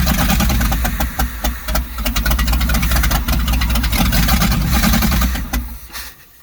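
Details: 1970s Sleek Craft jet boat's Oldsmobile 455 big-block V8, sat for years with water in the engine, run without exhaust manifolds: loud, lumpy but steady with even firing pulses and no knocking, then winds down; no rod knock heard.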